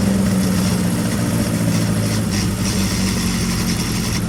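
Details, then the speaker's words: Carter998 engine on dyno making 100 horsepower on its 43-year-old valve springs and second-hand pistons, no smoke: loud steady drone with even low hum, no knocks, misses or rattles; normal healthy running. "Yep, it made the 100 horsepower, so fair play to it. On its 43-year-old valve springs, it's not done too bad."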